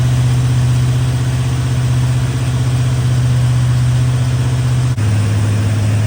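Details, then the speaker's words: Chevy square-body barn-find truck, automatic, 305 (5.0) V8, after PCV breather work and tune-up: deep, steady idle burble with a smooth even beat, no stumbling or loading up; running much better than before. "Well, that's running much better than it was."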